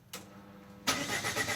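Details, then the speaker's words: Opel Vectra C Z19DTH diesel after engine reassembly, glow plugs suspected, cranking on a booster: faint hum, then the starter spins the engine in a steady churning drone but it never catches; diesel cranks but will not start. "Maintenant, nous allons essayer de le démarrer avec un booster pour voir si le moteur fonctionne."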